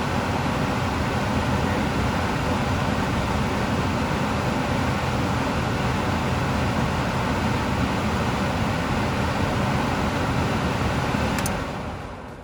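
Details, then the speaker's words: Furnace blower started by jumping thermostat wires R to W for heat: steady whooshing airflow with a low even rumble and no rattles or scraping; the fan runs normally. "Supposed to be the heat start. Here this the fan already starting."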